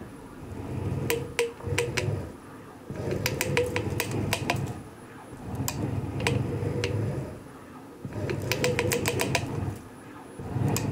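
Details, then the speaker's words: eRacing-Lab SFX-150 sim rig motion actuator, removed from the rig, lying unloaded and run manually from park mid-range, in use three months. Short strokes give a rough, crackling metal-on-metal grind over the motor hum, while the other actuators are smooth. "that's that's the sound coming from just this actuator the other actuators are smooth"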